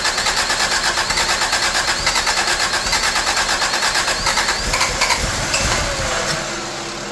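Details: 1985 Toyota Tercel small four-cylinder after distributor timing moved back, spark and fuel confirmed: quick even chatter settling to a quieter idle; starts and runs normally.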